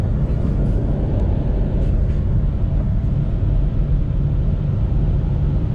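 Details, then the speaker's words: Jeep Compass on test drive after replacing right rear wheel bearing: steady low road rumble with no growl or hum rising with speed; bearing noise gone, normal. "is no more noise from the bearing so this means that I'm finished"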